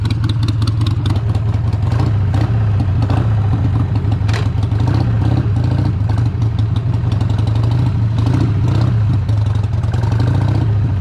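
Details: 2001 Harley-Davidson Sportster 883 Evo with CV carburetor, idle stop screw just reset during tuning for hesitation and stumbles: deep loping V-twin idle, steady throb with slight valve clatter, holding speed; normal idle, slightly rich, leaned a little afterward.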